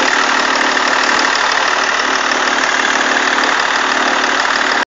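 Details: E46 BMW 330d diesel idles evenly with a hiss and a fast, uneven light chatter over it; failing alternator belt tensioner.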